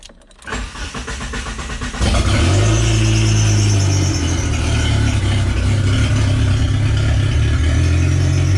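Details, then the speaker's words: Project car engine started with no exhaust fitted, last engine-to-transmission mount missing so engine moves too much; brief crank, catches in two seconds to a loud deep open-pipe rumble and steady even run. "but let me start it up for you and you can hear it run"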